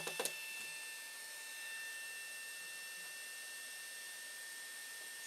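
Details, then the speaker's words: Small 12 V cooling fan newly fitted to a WD MyCloud drive to stop overheating, running with the cover off: a thin, steady high-pitched whine over a faint hum; a noisy fan the owner plans to replace. "can hear the noise level it might go down a bit when i put it back in and put the cover on"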